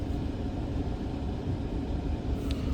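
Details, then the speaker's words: 2015 Ford Fusion 1.5 EcoBoost with P0302 misfire, idling during a scan-tool power balance test: deep, lumpy, uneven idle rumble with two cylinders not firing; the test points to a number two injector fault. "So, we're looking at a number two injector fault."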